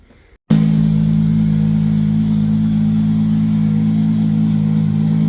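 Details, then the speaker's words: Toyota 2JZ VVTi swap after clutch seal fix, clutch disengaging: starts instantly, smooth steady even idle with no knocks or wavering before first drive; normal idle, though an air leak was heard later. "She's running, clutch seems to work, so yeah, take it for a drive."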